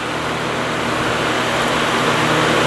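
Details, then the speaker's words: 1950s Patton 18-inch High Velocity fan, 3.2 A General Electric shaded-pole single-bearing motor, running on high before repair: smooth, even airy rush with faint steady hum and no rattle or clank, much quieter than usual. Blade moves in and out; clanking and shaking appear on low. "here's hi it's pretty quiet right now it's much quieter than it usually"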